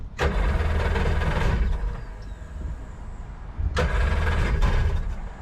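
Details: Jet boat two-stroke with rebuilt carbs, running with garden hose cooling water connected: deep rumble swelling under throttle, settling back, picking up again; runs cleanly, no misfire or knock.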